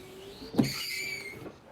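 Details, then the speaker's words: Windshield wiper run with ignition on, car stationary: a thump, then high squeaky scraping and chattering across the glass; blade membrane intact, cause a bent wiper arm. "Estão vendo que está havendo um ruidinho, né?"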